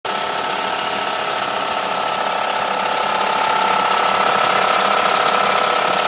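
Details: Mercedes W210 E430 V8 at idle: hard whiny mid-pitched ringing with fast light ticking about three per second; owner suspects alternator, another pulley, chain tensioner or low oil; abnormal engine noise.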